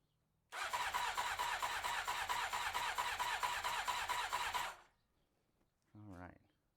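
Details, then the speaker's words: 1993 Honda CBR900RR first start attempt with choke on and fuel on: starter spins steadily about four seconds without firing; no fuel pump heard, oil light goes off, fuel supply suspected. "I don't hear the fuel pump the oil light has gone off which is a good sign"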